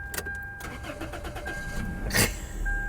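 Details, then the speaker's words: C3 Chevy Corvette sitting a long time, jump-started at auction: short cranking bursts, catches within a couple of seconds and settles into an even run under a chime; runs perfect. "no runs perfect"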